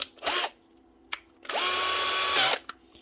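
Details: Bosch GSB 18-2-Li cordless drill after a new motor was fitted: short bursts of a strong, even high whir that spins up cleanly and stops sharply on the brake, much more power; the motor sounds healthy.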